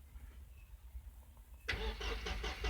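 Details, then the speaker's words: 2002 Mercedes Sprinter 2.2L common rail diesel, won't start on its own and stalls under load: starter cranks at a steady chug without firing, rail pressure barely above 4 bar with regulator closed, too low for injectors. "think you can hear the engine cranking, but the rail pressure hardly rose above 4 bar. Now that's way too low."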